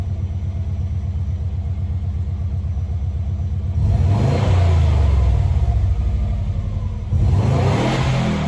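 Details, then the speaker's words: Subaru B4 with new aftermarket muffler can installed: even idle with two clean throttle blips, deep and mellow, moderately quiet; owner says better than the open pipe and not too loud, as wanted. "i don't know to me it sounds better than it did with the open pipe it's not very loud but that's okay i didn't want it to be like super noisy or anything"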